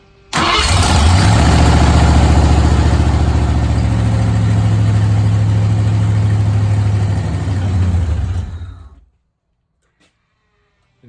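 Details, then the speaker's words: 1986 Ford Bronco after new fuel pump and pump wiring: engine starts and runs steady about eight seconds, then sags and stalls because the fuel pump loses power once the truck starts, cutting fuel. "you hear the fuel pump kick back on that's because I'm losing power once the truck starts so it's turning off my fuel pump which essentially is turning off my truck"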